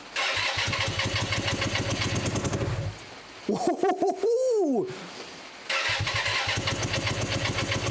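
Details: Hyosung 125cc V-twin motorcycle, first start after standing two years, carbs cleaned, on choke: catches and runs in uneven lumpy pulses, cuts out and restarts; rough running, owner thinks it's firing on only one cylinder.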